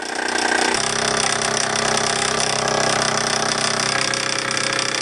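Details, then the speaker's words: All-original Bowman M175 toy steam engine with countershaft, run in live steam on its own burner, with a slight safety valve leak: a quick, even chuff of about three beats a second over a steady hiss; normal running. "Running very well. I've got a little leak at the safety valve, but I'm not worried too much about that for this steaming. But there you go, you can hear her working away there."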